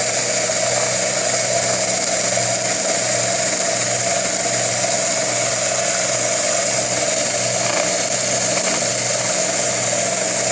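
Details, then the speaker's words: Homemade belt sander/grinder running at constant speed: steady, even motor whine with smooth belt hiss and no slapping or rubbing, and the belt stays on though slightly loose. Running cleanly. "And that's it. And it's running just fine, and notice that the belt is not coming off."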